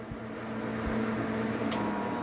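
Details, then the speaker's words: Half-HP peripheral water pump, start winding jumpered to run winding, jumper removed after power-on: motor catches at once into an even electric hum; start capacitor dead. "Observen cómo arrancó inmediatamente. Yo retiré el pequeño jumper."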